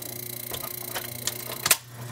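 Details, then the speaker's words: Pentron reel-to-reel tape deck, probably from the 1950s, before restoration, in fast-forward mode: light quick ticking over a soft hum, then a clack. The idler wheel engages and spins fine; the capstan drive appears to be seized. "I put it in fast-forward mode this wheel right here will spin because it engages easily enough"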